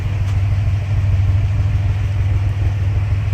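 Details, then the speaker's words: Chevy Monte Carlo with a naturally aspirated L36 3800 Series II V6 at its first start-up after a revamp, recorded at the exhaust tailpipe. A deep, steady low rumble at idle with no misses, its bass deepened by the corner; normal. "Oh, you can hear it boom, boom, boom, boom, boom, boom, boom, boom, boom, boom. The bass is a little bit deeper because it's in that corner over here, but that's usually what it sounds like, a little small rumble."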